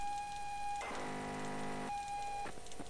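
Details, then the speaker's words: ZX Spectrum tape, reportedly flood-damaged, played through a cassette adapter: steady pilot tone breaks into rough warbling bursts, squeaky and unstable playback that won't load reliably. "fingers crossed there oh oh that sounded squeaky didn't it did we hear that"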